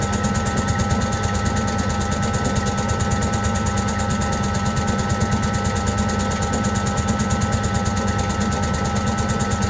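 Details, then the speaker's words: Servis (Eudora) 386 compact 3 kg washing machine attempting spin: the drum thumps rhythmically about three times a second over the motor hum as it struggles to balance an uneven load, and when it finally spins it doesn't spin for long. "all right so they are not very well spun in other words it took that long to try and balance when it did eventually spin it didn't spin very long"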